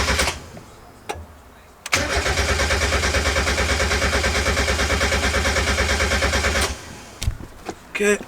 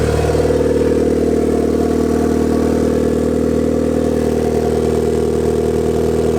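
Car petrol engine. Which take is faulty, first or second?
second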